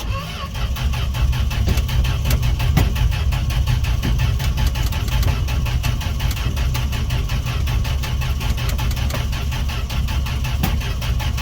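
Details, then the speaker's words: Fargo D100 (Dodge D100) pickup cold start after sitting all winter, gas poured down carb throat: steady even cranking over ten seconds, never fires; owner thinks there is no spark, cause still to be found. "his first time this truck's never started all right well I guess the next video is going to be figuring out why it's not starting"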